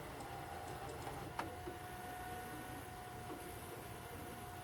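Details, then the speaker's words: Sharp VCR (or Toshiba 6-head VCR) still squeals during playback even with a different tape (Two Towers), so not a squeaky tape; thin steady high squeal under the tape motor, owner suspects weak belt/slipping drive. "because I think what we were hearing was a squeaky ass tape nope this thing still is having a little bit of issues"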